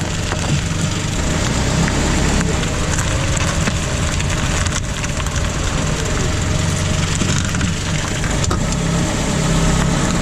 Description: It ended up being the sway bar linkage (the black skinny plastic piece that is at the top of the shock going down off screen - the the sway bar)